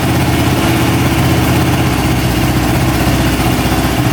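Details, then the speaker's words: Traded machine after carb cleaning, valve shimming and an accelerator pump check; even, steady idle with a smooth low burble and no misses or surging, running much better than before with no carb leaks. "that sounds a lot better lights are working all right seems to be running pretty good A lot better than it was before so I think we got her fixed here"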